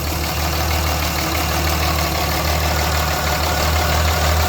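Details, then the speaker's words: Cummins 5.9 diesel at cold start, customer complaint: heavy smoke, uneven lumpy idle about three pulses a second; rough idle, hard misfire at start-up. "It's definitely throwing off a lot of smoke. So you guys can hear it. It's definitely running a little bit rough."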